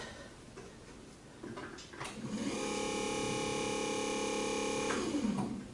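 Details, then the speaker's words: Minn Kota bow-mount trolling motor (max 70 lb thrust) after armature and brush assembly replacement, running with prop on, battery reconnected: spools up to a smooth, even hum with steady tone, no rattle or scraping, winds down cleanly; normal running. "You can just hear it. It sounds smoother, and you can really feel like it really rotating now, which is awesome."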